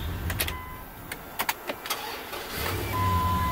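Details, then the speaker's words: Old truck that stalled unless the throttle was held, fixed by cleaning a clogged throttle body and dirty idle air control motor: a few light clicks, then the engine catches and holds a steady low idle on its own with no stumble. "so now i can start the car and it idles on his own without me holding my feet foot on the gas pedal"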